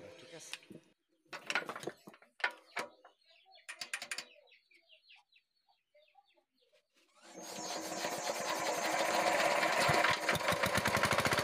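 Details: Diesel engine that had a phok-phok sound through the air cleaner and white smoke, now after resetting a loose rocker-set adjusting nut. It starts and settles into an even, steady chuff at idle with no puffing or stumble; the repair succeeded.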